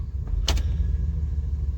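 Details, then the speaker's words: 1996 Chevy Suburban C1500 with a 4L60E, after replacing the solenoids, pressure plate and wiring harness to fix limp mode. At idle, one firm clunk as it shifts into reverse or drive, with rpm dropping. Normal engagement. "you can watch the rpm drop too watch clunk reverse neutral goes up drive clunk"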